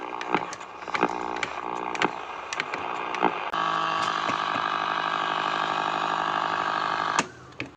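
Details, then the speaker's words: Old, rusty Philips Prince DL 225 radio under repair, powered up before cleaning: scratchy crackles and dropouts, then a few seconds of steady sound before cutting again; intermittent reception from a heavily rusted, corroded band switch needing cleaning. "Friends, band switch നല്ല complaint ഉണ്ട്, തുരുമ്പാണ് മൊത്തം."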